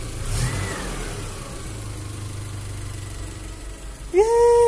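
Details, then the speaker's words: Mitsubishi van petrol engine, first start after full engine overhaul and reinstall, new battery and fresh coolant: steady, even low idle hum with no knocks, ticks or misses; runs smoothly and healthy. "mga kaputik. Kumandar. One click. Yeah."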